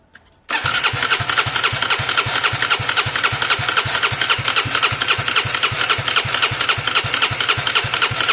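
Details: Gilera DNA 125 scooter, airbox off with brake cleaner and WD-40 sprayed into the carb: starter cranks at three to four strokes a second, never catches; owner suspects an engine problem rather than fuel.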